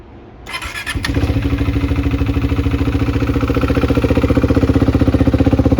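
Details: 2021 KTM Duke 390 single-cylinder, a recovered stolen bike with drilled-out ignition, first start without changing the old fuel: brief cranking, then it catches cleanly into a steady, even thumping idle of about four beats a second.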